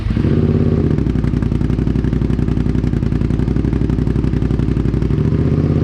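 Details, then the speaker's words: Suzuki SV650 twin during restoration, test start after fitting new exhaust mid-pipe and springs replacing a straight pipe: even, steady twin beat with no misses or rattles, much quieter than the old exhaust; engine runs smoothly. "sounds a lot better. Not as ridiculous. The other exhaust was way louder."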